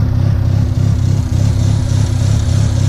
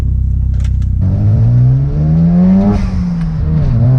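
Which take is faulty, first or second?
first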